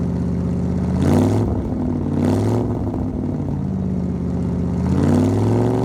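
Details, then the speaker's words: 1975 Ford F-100, parked 17 years, now running after a brand new 2100 carburetor replaced a rebuilt one that wouldn't run right; quick throttle blips rise cleanly and settle to a smooth, even idle with no knocks or misses; normal idle and revving. "So eventually I end up just putting a brand new 2100 on it and it runs pretty decent for what it is"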